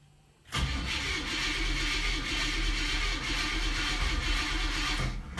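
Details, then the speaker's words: 1965 Oldsmobile F-85 Cutlass, cold start, fuel-related trouble suspected, new fuel filter just filling: catches and runs rough a few seconds, then fades and quits once the carburetor prime burns off; starts then dies. "Okay, I'm gonna have to go put a little more juice in there."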